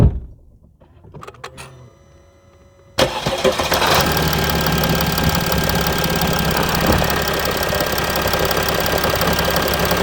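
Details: Mercedes E320 CDI S211, 3.2 V6 diesel 224hp, 250,000 km, 7G-Tronic, DPF and catalyst removed, cold start after a week sitting, slight smoke; starter crank then lumpy uneven clatter at cold idle; rough cold idle.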